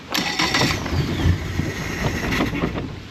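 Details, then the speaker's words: 2017 Mercury 90hp four-stroke Command Thrust outboard in guardian mode with a 6-beep alarm: uneven, stumbling idle that sags and stalls even after a sensor was replaced. A DTC was logged; the cause was a bad idle air control valve. "See? And then it stalls out. Wow. Earlier it was running rough, but this is just stalling out."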